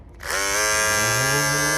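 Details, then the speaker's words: Andis GTX EXO T-edger trimmer after replacing the broken blade bracket clip: motor spins up to a steady high buzz that holds even, but the blade set shows a gap, sitting too loose and misaligned. "see the little gap between the blade right there that means something is out of place something ain't right somewhere something's out of whack somewhere it's too loose"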